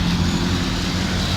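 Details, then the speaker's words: Dodge 5.2/5.9 V8 truck with about 200,000 miles idling, with intake plenum plate gaskets a suspected misfire cause: deep, steady rumble with even beat, natural ticking, no stumbles or knocks; runs beautiful. "motor's got his truck's got 200 000 miles on it you can hear it I mean it runs beautiful so I think you should look into that"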